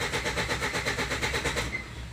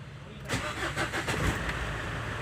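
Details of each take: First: Ford Endeavour that cranks but only starts with petrol in the intake: even cranking about eight pulses a second, barely starts then dies; low fuel rail pressure from return flow through leaking cylinder 4 injector. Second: Ford Endeavour diesel that cranked but would not start without petrol being added, after bleeding the fuel system: cranks briefly, catches cleanly and settles into an even idle with no stumble.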